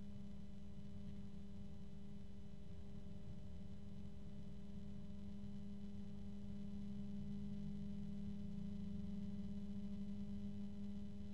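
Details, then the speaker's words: Noctua NF-A12x25 PC fan, compared with the Antec P12 120 PWM rated max 1400 RPM: quiet hum with a steady high-pitched tone growing as speed rises; tonal fan whine. "starting to hear the OCTA that high pitch tone always comes out so quickly now it's starting to uh I think it's about at the same level of noise"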